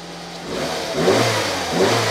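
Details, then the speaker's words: Nissan Micra K11 after replacing badly fouled spark plugs (no-start caused by flooding and mainly bad plugs): two quick, clean throttle blips rising and falling smoothly with no misfire; engine revs freely and sounds perfect. "And then this is amazing. It runs really nice. I'm just going to rev it a bit."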